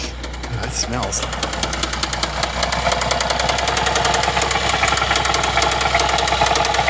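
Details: 2011 Chevy Traverse 3.6L V6, towed in after stalling on the highway with noise, hard start on jump box: loud rapid metallic tapping three to four per second while running; failed timing chains, codes P0011 P000D P0024.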